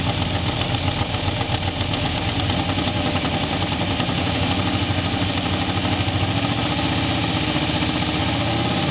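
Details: Truck started after class: steady idle with a rough, uneven pulsing about two or three times a second; abnormal engine noise, cause not pinned down.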